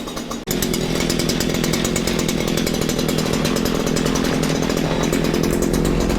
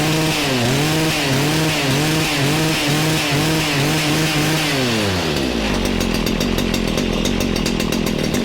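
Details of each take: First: Stihl FS94 trimmer two-stroke after recoil replacement, warmed up after burning off bad fuel, earlier suspected rich and smoking: fast steady buzzing idle with even firing, no longer smoking; normal idle, carb left untuned. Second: Stihl FS94 two-stroke trimmer after recoil replacement, burning off bad fuel before tuning: revs surge and sag about twice a second, then a low lumpy idle; runs low, probably rich.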